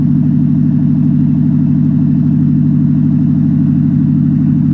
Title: Toyota Prius Loud Engine Noise